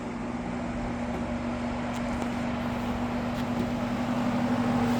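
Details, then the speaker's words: Happy Home window box fan on high after weeks unused, on a cold night: steady even whoosh with a constant low hum, no rattle or wobble; running smoothly and powerfully. "This is powerful."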